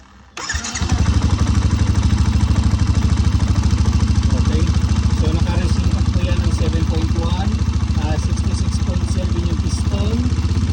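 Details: Motorcycle engine after racing valve clearance set (0.08/0.09, intake and exhaust values stated inconsistently, small play left), cover fitted: catches quickly and settles into a steady, even idle with regular low pulses, no ticking or knocking; normal idle.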